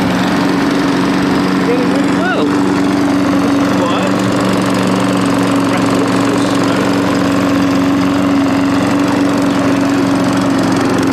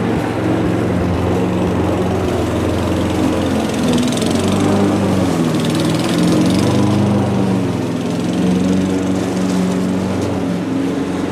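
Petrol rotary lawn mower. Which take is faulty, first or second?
second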